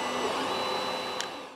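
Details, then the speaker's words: Sovol SV01 3D printer with stock Creality board, dual Z, BLTouch and Titan extruder, printing the first layer: loud steady high buzzing whine of stepper motors; owner will probably upgrade to silent TMC2209 drivers. "so noisy fans are all right not"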